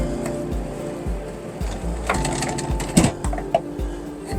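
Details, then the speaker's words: 2023 Airstream Bambi 22FB travel trailer, manual roof vent fan: steady motor hum with a soft even thump about twice a second as fan speed is adjusted; normal running. "and this is how you control your fan speed both of them are the same"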